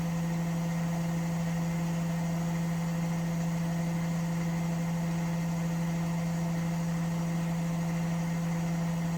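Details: Washing machine spinning with a steady, even low hum and smooth, regular rotation, no knocking or banging; normal quiet spin. Its noise problem was traced to the chassis flexing and cracking at the shock absorber mounts.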